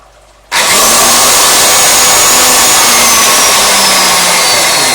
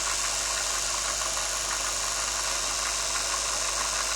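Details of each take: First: BWS 230 angle grinder (2000 W) run directly on 220 V with no soft-start; snaps to full speed with a harsh, hissy high whine that slowly sags, flame arcing at the brushes. Brush arcing. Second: BWS 230 motor on the bench at about 7 V: a steady, even whir at low speed with only gear hum, no snagging, crackle or brush sparking. It runs smoothly; brush sparking appears only near 20 V.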